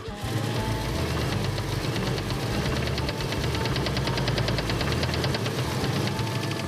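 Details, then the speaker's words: Wagon engine running on old gas in tank: fast, steady metallic tapping keeping time with the engine, heavy deep knock worsening; rod knock suspected, engine considered blown, unconfirmed. "The engine is blown up. Sounds like a rod knock or something good."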